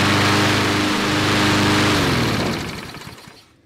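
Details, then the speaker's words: Briggs & Stratton 5-6 hp flathead mower engine, long-stored, after governor rpm adjustment up from 2160 rpm: steady, even governed speed with a clean tone before shutting down; leftover oil in the muffler from first startup; running normally. "it's running real good okay there's a little bit of oil left over in the muffler from the original startup this thing was stored a long time"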